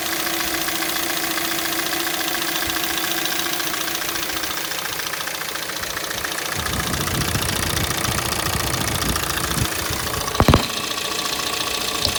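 Light, quick ticking knock rides on top of a cold idle, about three or four a second; a cold-engine knock.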